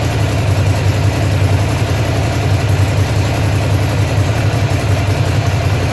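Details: Ducati Monster (696/795/796/1100) V-twin with an engine misfire: a deep idle that stumbles unevenly, its beat skipping now and then.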